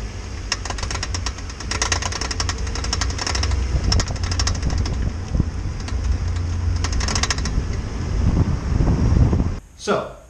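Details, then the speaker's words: Acura TSX pulling away from a stop with rapid bursts of sharp clicking from the passenger side over low engine and road rumble; worn CV joint, fixed by replacing the CV shaft. "when we started taking off from a stop you could hear the passenger side clicking"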